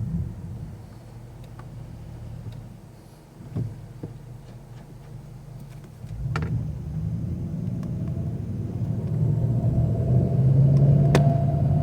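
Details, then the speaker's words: SRT8 at full running temperature (won't do it cold), in third gear, coasting then adding a couple hundred revs on light throttle: low rumble gains a droning hum on tip-in; source not pinned down. "it's during the time that i'm redoing the revs you know adding some more revs um you know a couple hundred more revs that's when this noise can be heard"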